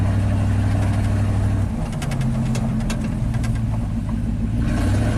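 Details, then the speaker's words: 1987 GMC Sierra V8 plow truck after the stalling fix, at full throttle climbing a steep driveway: a deep, steady, strong pull with no stumble or die-off; the engine is healthy under load. "I'll give it full throttle here. Woo-hoo. Oh yeah, sounds like a beast. Hasn't skipped a beat yet."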